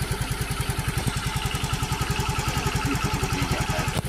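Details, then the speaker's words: Yamaha FreeGo scooter that died after a pothole; ECU found faulty (no ground output to fuel pump and injector): even steady idle putter, regular firing, no misses or knocks; normal idle after repair. "jadi positif Ecu yang rusak teman-teman ini udah motor udah nyala ya"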